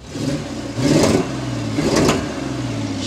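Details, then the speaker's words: Old Ford F-150 started after sitting a year with a new battery: uneven surging revs, stumbling and popping back through the intake; weak fuel pump gave only about 2 oz from the rail in a 30-second volume test, lean misfire. "as you can see it runs it's alive kind of sort of but not really she's got a weak fuel pump boys"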